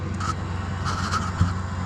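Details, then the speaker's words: EcoTemp L5 1.5 GPM portable propane tankless water heater, three years old, supplying an off-grid shower: steady, even low rush with no sputtering or popping; the burner is lit and running normally. "Alright, so you can hear that the water heater is already running."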